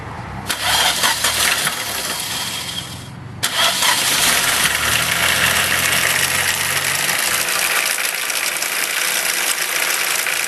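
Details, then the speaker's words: 1.6 car, 130,000 km, with a second-hand gearbox fitted: engine fires after brief cranking and runs with a harsh metallic rattle from the driveline at start-up; cause suspected to relate to the gearbox replacement, unconfirmed. "that's not really going to interest anybody when they hear that running like that so I'm going to uh going to investigate and see what's making that Rattle"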